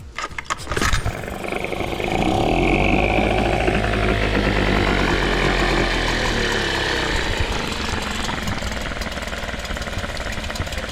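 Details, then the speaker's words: 1998 Nissan 5 hp single-cylinder two-stroke short-shaft outboard after carb cleaning, having sat a while: fires after a second and settles into a steady, even, fairly quiet buzz; normal running. "it's Hest pretty quiet being a one cylinder for a two-stroke yeah that c did the job"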